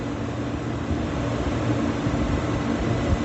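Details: Beer walk-in cooler condensing unit, 208V three-phase compressor, after thermal overload reset and pressure control adjustment: even, constant low hum with no clatter, surging or cut-outs; compressor running normally.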